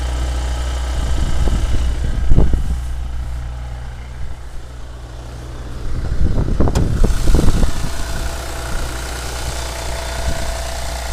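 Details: Engine knock at cold idle on a Honda Legend KB1 with J37 engine: ragged, uneven knocking riding over the engine in bursts; cause unclear.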